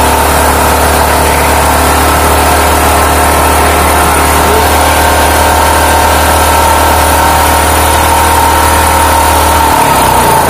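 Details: Small generator converted to run on LPG (3 kg cylinder) for a quail coop power backup, started on choke: steady, even hum with no hunting or misses, then winds down at shutdown; smoother and more stable than on petrol, normal idle.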